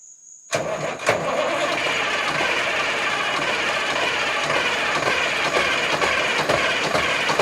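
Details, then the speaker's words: 1973 Mack R700 with Mack 865 V8 diesel, first start in 20 years after injection pump rebuild: hard cranking catches into uneven, puttering run with irregular beats, like missing cylinders while fuel is still being bled. "yeah what if I don't grab it now that it's really puttering turn that off and let's do it again or do you not want to"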